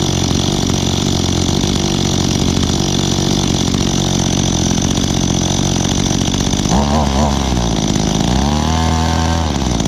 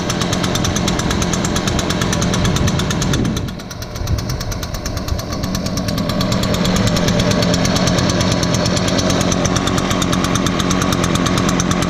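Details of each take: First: Echo two-stroke handheld (trimmer or blower) being started for the season: buzz with a rough, wavering note that hunts and drops near the end; owner thinks the carburetor needs adjusting. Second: Echo blower, started on choke after priming bulb under the carburetor, started easier than expected: even two-stroke buzz dips briefly then picks up smoothly and holds steady, no misses or surging; normal idle and throttle.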